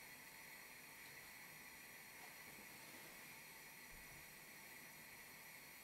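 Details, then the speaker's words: Tilley TL14 pressure lamp (1935–1940) burning nicely, with a soft, even hiss and no sputter or pulsing; normal burning hiss. "it's burning nicely now and I had this going for a couple of hours non-stop last night no problems at all you listen carefully it makes a little hissing noise"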